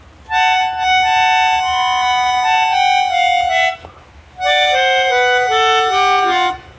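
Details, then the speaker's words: Melodica whose note sounds by itself when blown: two reed tones at once, one unpressed note droning beneath the played melody, because a key valve is stuck open. "kalau kerusakan seperti ini biasanya ee ada katup yang terbuka ya salah satu katup di not-notnya ini ada yang terbuka"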